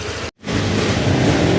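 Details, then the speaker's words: Honda Click 125 V3 scooter after the worn camshaft bearing was replaced and the engine warmed up: a steady, even note with clean, regular firing and no ticking or knocking. The engine runs healthy again. "Okay, babalik na natin dahil all goods na. Wala na problema. Tahimik na yung makina. Yan, bumalik na siya dati."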